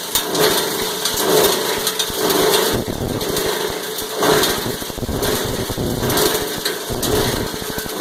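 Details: Cumberland 7.5 hp granulator, 12x12 chamber, chopping about 10 lb of stranded insulated copper wire: steady motor drone with gritty chopping that swells and eases about once a second; normal grinding under load.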